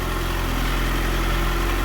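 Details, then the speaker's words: Dodge Neon ACR after 60/62 billet-wheel turbo install, disconnected vacuum line reconnected, fuel pressure 50: smooth, even idle, steady low drone, no knocks, misses or whistles; engine sounds healthy; normal idle. "But the ACR is back alive. She actually sounds pretty good."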